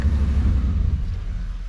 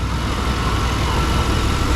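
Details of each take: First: 1992 Chevy C1500 idling near 1000 rpm: lumpy idle sags and fades out when shifted into reverse, engine stalls; owner suspects timing may be off. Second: 1992 Chevy C1500 Fleetside V8 idling right around 700 rpm after the fix, now firing on all eight: a deep, steady, even rumble that stays stable with the AC on and in reverse and drive, with no hunting. Normal idle.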